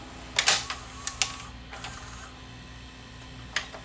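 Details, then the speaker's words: Panasonic PV4361 VCR (1993, OmniVision) after repair, testing forward search, reverse search and pause: crisp mechanism clicks over a steady low hum as the modes change; the transport engages properly and runs smoothly. "Forward search, it's working. Reverse search, that's working. Pause is working."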